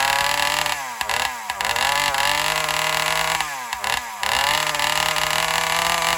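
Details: Alcohol-fuelled chainsaw at full throttle in the cut: high scream sags and wavers repeatedly; owner suspects it runs lean, starving for fuel on the high-speed circuit; unconfirmed engine bogging under load.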